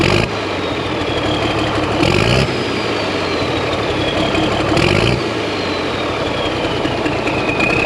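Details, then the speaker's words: 1086 tractor diesel after injection pump work: catches after cranking and runs unevenly while the excess fuel delivery plunger is held in, then dies as soon as pressure builds and the device releases. "as soon as all pressure builds up it'll die i'll show you what i'm talking about here in a second"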